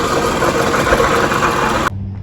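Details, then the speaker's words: 2002 Toyota Camry 2.4 running, noise traced with a pry bar at the water pump: steady rough grinding whirr with no rhythm; the water pump bearing grinds when spun and is replaced. "So there it is. The water pump is definitely the issue. Has grinding noise when you try to spin it."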